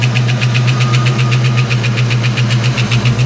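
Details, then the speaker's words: 1989 Mustang LX 5.0 convertible, first start after about three years sitting, new fuel injectors and pressure regulator: steady idle drone with sharp regular tick about four per second; owner wonders if injectors or valve train, cause unconfirmed. "so guys let me know in the comments if you have any idea what that noise is if you can hear that if the new injectors might make that noise"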